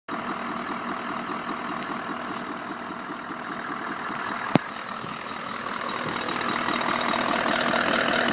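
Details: Toyota Land Cruiser 200: light steady ticking knock at warm idle, absent when cold, present in P, D and N, not heard while driving; loudest on left side of engine behind the filter, no power loss; cause undetermined.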